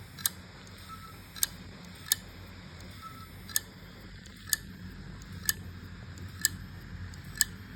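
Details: WD 4 TB My Passport portable hard drive, never detected by a Windows laptop, clicks sharply about once a second over faint hum as the head/arm keeps trying to read; platters seem intact, eventually drive stops spinning.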